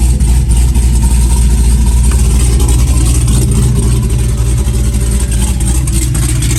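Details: Fresh V8 build with dual throttle body, intake and wiring just installed, first fire-up: loud thumping idle, fairly regular beat near four pulses a second, no knocks or ticks; healthy normal idle.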